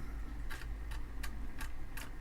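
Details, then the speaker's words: Amiga 500 on its first power-up test, booting from floppy; the drive's head seeking gives sharp, uneven clicks about every third of a second over a faint hum and sounds funky, so the drive is suspected to need opening and inspection. "I'm gonna want to open that floppy drive up take a look inside it sounds a little funky"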